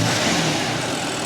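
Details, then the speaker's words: BMW M4 convertible given a light rev: rough, hissy, uneven note instead of a clean rev; something is wrong, turbo mentioned, cause not confirmed. "Lorenzo has an M4 trade convertible and it sounds a little weird so listen to the engine you hear that yeah that does not sound normal right"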